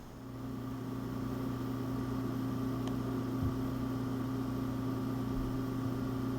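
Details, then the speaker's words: Apple Power Mac G5 (PowerPC 970) with CPU loaded by a stress program: low, steady hum with soft airy hiss, constant with no rattles or surging; fans quiet and normal under load. "only a program that loads down the CPU to demonstrate that even under load the system is very quiet"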